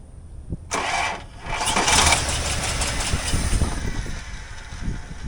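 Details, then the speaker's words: 1984 Toyota Land Cruiser FJ60, rusty and unused for many years, wiring just zip-tied; one short burst of cranking cuts out, then only a faint hum as the fuel pump runs; cranks briefly then won't crank, cause unknown, voltage questioned. "And now we got nothing. That was all she got. Huh? The hell's up with that? I can hear the fuel pump turning on, but uh I don't know why it won't crank now."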